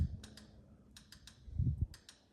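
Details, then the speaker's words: EZGO TXT gas golf cart that won't go with the throttle pressed: the pedal switch gives soft paired clicks but no solenoid clunk follows, despite 13 V at the solenoid. The cause was a corroded cable and relay connections, and cleaning them fixed it. "it won't click that solenoid i got 13 volts there so there's power to it because that's where that power comes from from there straight to that switch no ceiling when clicking you can hear the dip switch on the foot pedal clicking"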